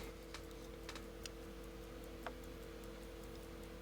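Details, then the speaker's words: 1930s Sandoz Vuille 8-day rearview mirror clock, rebuilt from parts clocks. The balance wheel rocks with soft, even ticking and no skips or rubbing; running normally. "you can see the balance wheel spinning or rocking back and forth you can hear the little clicking of the clock I love it"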